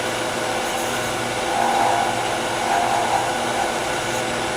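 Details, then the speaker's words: Small lathe turning a miniature Tagua nut hollow form with a shallow fluted gouge: steady high whir with buzzy chatter swells because the overhanging workpiece vibrates; remedy is light cuts, high speed, sharp tools. "you can hear a lot of chatter that's because this piece is hanging over it's vibrating so light cuts high speed sharp tools"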